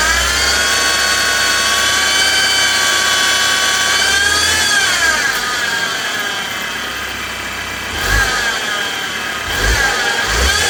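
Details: 2016 BMW X3 xDrive28i with N20 engine: a high, layered whine rises and falls with revs over the running noise, diagnosed as a failed belt pulley bearing.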